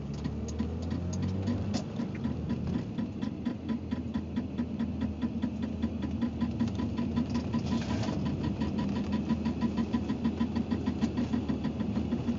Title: 325ix clicking noise